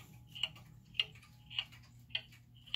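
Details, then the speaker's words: German time/strike pendulum clock after leveling and adjusting the pendulum crutch: even tick-tock, about one tick every 0.58 seconds with equal spacing between tick and tock, so the clock is in beat. "right so now we've got the clock that's in B we think it's pretty level"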